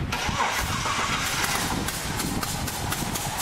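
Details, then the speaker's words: Holden VR Commodore 3.8-litre V6, rebuilt by a dealership four years ago, with head gaskets reportedly done two years ago. It idles roughly with sharp, regular puffing ticks. Owner considered head gasket, exhaust manifold or loose spark plug. Blown head gasket. "so what do you think it is a head gasket exhaust manifold spark plug loose [Applause] all those things will sound like that won't they"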